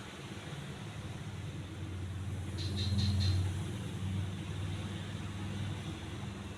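Steady low motor hum with a soft, even pulse of about four a second, no rubbing or rattle: the fan is running normally.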